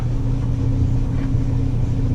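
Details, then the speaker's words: Maytag LDE6914ACL dryer after repair, running with wet towels: steady low rumble and even motor hum with no knocking; the thumping had come from loose panel screws, fixed by tightening them. "so far there's no knocking"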